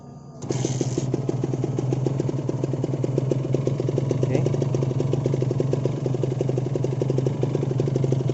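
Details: Kawasaki Ninja 150RR two-stroke after a major service that corrected earlier botched work. It starts cleanly and runs smoothly with crisp, even popping at a fast steady beat and a strong low drone.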